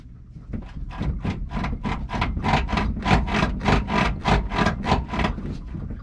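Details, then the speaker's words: Toyota Tacoma, new OME BP-51 suspension: rapid dry crackling creaks as the body rocks; suspected cause is bushings bound because they were tightened on a lift with the suspension hanging down. "New truck, new suspension, and it sounds older than old blue. It sounds like an old rattle trap."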